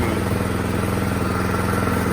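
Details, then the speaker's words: 2017 Troy-Bilt Storm Tracker 2690 XP snow blower after carburetor replacement (part 951-15236), choke off, low rpm: an even putter with regular firing pulses and no misses. Normal low-rpm idle after the fix. "there it is running nice and smooth uh choke is off no more surging running nice and smooth the throttle is smooth low rpm running"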